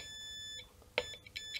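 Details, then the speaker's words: Guitar ground check for hum when strings aren't touched: multimeter continuity beep in short bursts as probes touch back of a pot and back of the switch, confirming shared ground. "So if you take your multimeter and you touch, for example, the back of a pot and the back of the switch, you should get a"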